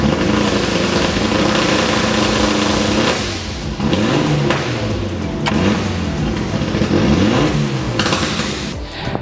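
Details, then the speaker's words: Mitsubishi Evolution IV Ralliart Australia Group N rally car, turbo, anti-lag triggered at 70% throttle and running 7 seconds: sharp throttle blips, revs sweeping, loud bangs on lift-off; anti-lag working, giving instant power. "sistem anti-lag ini sangat menguntungkan buat gua yang lagi nyetir mobil turbo di dalam SS. You know what? Karena tenaga itu jadi instan."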